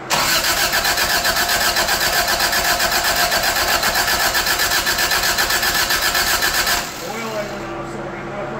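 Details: 1985 Toyota Tercel after engine work, chilly morning, with fuel issue suspected and vacuum lines in doubt: nearly seven seconds of even cranking, about four turns a second, never fires; crank no start.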